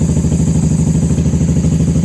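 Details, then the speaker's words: 1994 Honda Magna 750 VF750C after fuel line repair and airbox reinstall, no fuel leaks: even, steady idle with regular low pulses, no misses or stumbles; normal idle. "Too much air, too much choke. She's happy."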